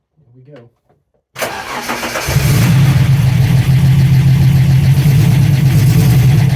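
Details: TVR after converting from TFI ignition to VAG/VW coil packs on MS2 (MegaSquirt): cranks briefly, catches cleanly and settles into a strong, even run with a steady low hum and no stumbles.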